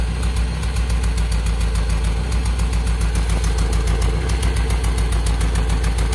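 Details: Toyota Soluna listened to at the exhaust while idling, with the engine limping (brebet). An uneven blub-blub with missing beats; a misfire from a faulty spark plug lead, checked by swapping the cylinder 2 and 1 leads; fix is new plug wires.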